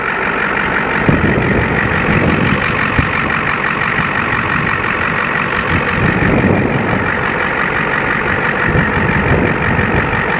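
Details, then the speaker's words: Ford OBS 1-ton dually, 7.3L IDI diesel, idling up to temperature after sitting unused about 3 years. Steady, even diesel clatter with no misses or knocks: normal idle. "Heat up here. for not running for quite a while. It sounds just fine."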